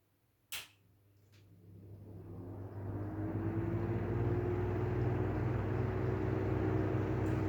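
Fan spins up from quiet to a steady hum with a rough, uneven rumble and faint tone riding on it, typical of worn bearings.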